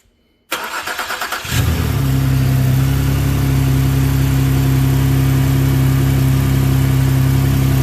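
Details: 2011 Ford Explorer, first start after new powertrain installation, oil flowing, no dash lights; brief crank, catches within a second, then smooth, steady low hum with no knocks or misses; normal idle.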